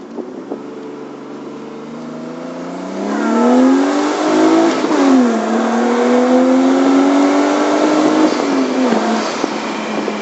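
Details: Nissan Cefiro A31 with RB25DET engine and Silvia S13 transmission: a tone climbs with revs as the car pulls under acceleration, then holds steady; an abnormal whine under load, source unidentified.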